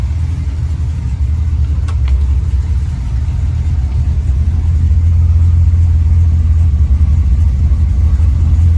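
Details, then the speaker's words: Supercharged LSA V8 at idle after fixing a spun balancer, new LS3-style timing set and a new radiator, while bleeding coolant air: deep, steady, even pulse with no ticking or knocking; smooth and healthy, 35 psi oil pressure, temperature 200. "Just making sure I get all the air bubbles out. But yeah, it sounds good. It's smooth, healthy."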